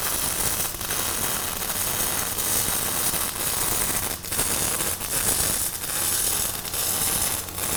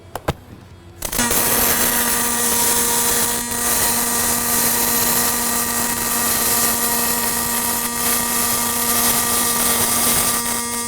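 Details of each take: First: Fronius Fortis 270 MIG welding aluminum without push-pull or spool gun, inductance swept from 0 to 10: harsh crackling arc with irregular sharp pops and heavy spatter at low inductance before it smooths out. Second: Fronius Fortis 270 pulse MIG on aluminum, set by thickness at about 177 amps, no push-pull or spool gun: steady even buzzing hiss with fixed tone, no crackle or pops; no spatter.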